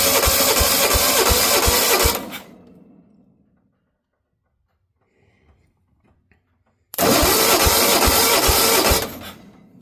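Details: Engine with a carburetor and a fuel system that is not yet set up properly (owner redoing it to the fuel pump): two bursts of steady starter cranking, about three turns a second, that never catch; cranks but won't start, with lack of fuel suspected but unconfirmed.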